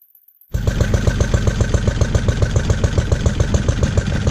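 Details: Lister D petrol single-cylinder barn find, first start in 20+ years after restoration: starts and settles into thumping near 220 a minute, slightly lumpy, no knocking, no smoke, good compression. Owner suspects timing adjustment and carb settings needed; uneven running.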